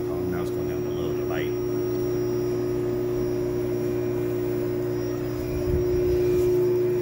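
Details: Lochinvar boiler after removing improperly installed combustion-air dampers, which had been sucked shut and caused a loud whistling restriction. Draft reading improved. Steady, even burner roar with no pulsing. Normal boiler operation.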